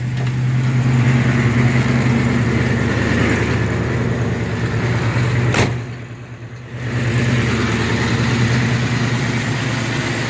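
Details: 1967 El Camino 427 big-block with MSD Atomic EFI, return fuel line, parked after a drive; deep, steady idle with even low burble and brief dip midway, no knocks or ticks. Normal idle.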